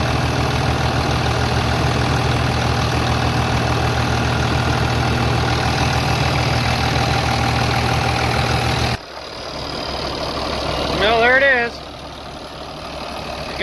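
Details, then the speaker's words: 3588 diesel after engine rebuild (new cylinders and pistons), 7,338 hours, idling after leak check; smooth, quiet even beat for first nine seconds with no knocking, healthy normal idle. "7 338 hours on it with a brand new engine looking good sounding good i can't believe how quiet it is"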